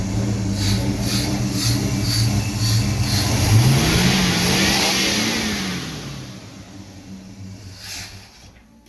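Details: Engine with Holley Sniper EFI and HEI, ran strong until a loose O2 sensor was tightened, then ran strangely; wizard rerun, closed loop disabled, grounds and vacuum leaks checked; revs rise and fall lumpy with lazy pickup: rough idle, no power, cause unknown.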